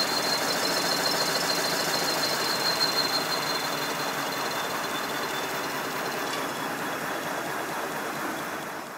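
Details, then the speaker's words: Simplex model steam locomotive converted to a GWR Prairie tank, test run with refitted blast nozzle: steady high-pitched squeal over rapid chuffing exhaust at high speed; acoustic squeal from the blast nozzle. "i've refitted the blast nozzle have a listen now yes it's definitely an acoustic problem"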